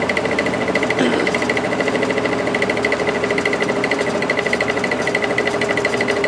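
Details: Air King 9218 window fan on high: steady motor hum with a rhythmic pulsing racket about three times a second and vibration; felt washers and bearing fine, caused by an imperfect, out-of-round rotor.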